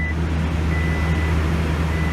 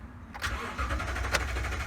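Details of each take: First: 2018 Toyota Tundra 5.7 V8 after fuel pump replacement (crank-no-start fixed), started after extended crank: low, steady, even burble with no stumble or tapping; normal idle. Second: 2018 Toyota Tundra 5.7 V8 cranking at an even rate but never firing; the check engine light comes on and the tachometer does not move while cranking; crank-no-start from a failed fuel pump.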